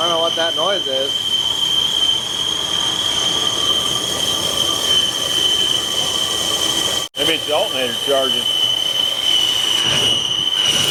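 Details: Ford LTD, believed 1975, abandoned almost 30 years, first start without brake clean: steady high-pitched squeal at one pitch over a quiet-running engine on startup; source unclear, possibly a belt or the alternator.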